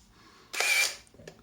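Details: Zenit KM Plus camera in new condition, with no film loaded while it tries to wind: a sharp shutter snap, then a loud half-second motor-wind whir and a light click. Normal shutter and motor drive operation, just noisy.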